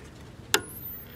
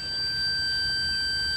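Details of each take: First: 1970 Sony Trinitron KV1210 powered through a 50 W light bulb: a sharp crackle, then a thin high whine rising in pitch. Normal CRT crackle and horizontal oscillator starting. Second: 1970 Sony Trinitron KV1210 rectifier diode packs probed on a meter: a steady high-pitched beep with no break. The probed diode reads shorted while another measures a normal half volt.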